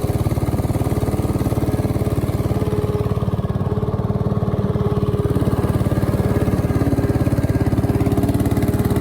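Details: 1968 Bolens Husky 775 Husky Pup lawn tractor, restored and swapped to a Hatz 1B30 V single-cylinder diesel, mowing: steady, even thump about 214 beats a minute, no misses, normal healthy running under load.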